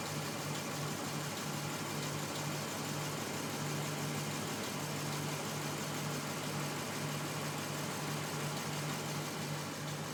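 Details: Lexus IS F engine at idle: steady low hum with a faint fast tapping underneath; owner calls it a knock and points to Toyota valve spring problems, cause unconfirmed.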